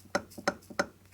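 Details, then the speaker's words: Supposedly like-new 6-inch milling machine vise, cleaned and checked: three sharp metal clunks about a third of a second apart with softer taps between; loose play, lead screw backlash. "And it's just lead screw moving. Yeah, it doesn't lift up like that."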